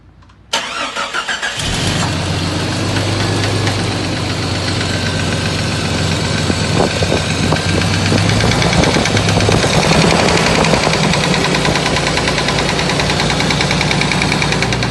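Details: Jeep XJ 4.0L HO inline-six starting and settling to 1500 rpm fast idle: steady fairly loud knock; flexplate bolts already tightened, oil pan gasket lacked metal inserts; piston slap suspected, cause not confirmed.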